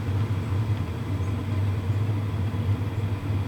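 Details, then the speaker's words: WIPPRO diesel heater running normally after glow-plug ignition; low steady rumble and fan rush, fuel pump ticking barely audible even with head right next to it, warm air flowing, very quiet operation. "I can't hear the fuel pump ticking. Okay, if I put my head right next to it, I can barely hear it. But this is actually really quiet."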